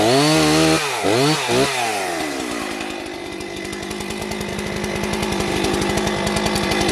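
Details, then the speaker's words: Pawn-shop vintage Jonsered 670 chainsaw, first test cut after purchase, chain looks good: high revs dip as the chain bites into wood, then a strong steady note through the cut; saw pulls well, strong healthy run under load. "that's a strong run on Old saw"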